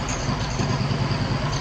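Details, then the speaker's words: 1950 John Deere B two-cylinder, which ran badly; gas had been getting into the crankcase. It now idles with a lumpy putt and the odd beat dropping out, a slight miss of unknown cause, though it's the best it has sounded. "it still sounds like it's got a weird mist to it and i'm just gonna take that as a win but"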